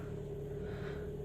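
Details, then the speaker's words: Kia Sportage G4KD 2.0, 13 years old, 160,000 km, automatic, all-wheel drive, after engine repair for cylinder scoring and piston knock, warm at 90°C: quiet, even hum with steady low rumble, no knocks or ticks; normal idle. "работает Ровно температуры 90°"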